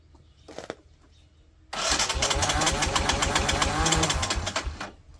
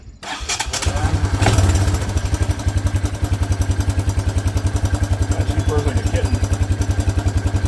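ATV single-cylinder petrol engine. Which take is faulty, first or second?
first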